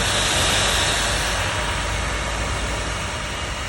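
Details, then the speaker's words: Royal Enfield Himalayan 450, just ridden 50–60 km and parked, engine very hot: steady loud airy roar of the radiator cooling fan running hard over a quick regular idle beat. "बहुत ज्यादा गर्म हो रही है इस time बकुल नई वाली Himalayan है ला खड़ी कर है और आप लोग इसकी आवाज सु"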